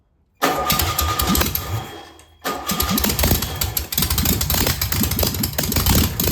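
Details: Single-port flat-four engine, first start on a known good carburetor: starter spins briefly, then it catches at once and settles into a steady, even idle with no misses. It fired right up with no smoke or leaks, a good running engine.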